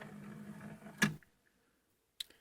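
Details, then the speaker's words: Sega CD Model 1 with Sony drive after laser limiter switch repair, at startup: a soft spinning hum, then two crisp seek clicks about a second apart with quiet between; the drive sounds healthy. "you can hear what sounds like seems like it's working to me"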